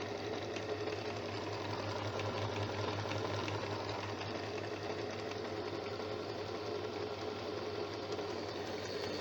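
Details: Janome sewing machine after being serviced for a running noise: a steady, even whir with a fast, light patter and no clacks or grinding. It now runs smoothly.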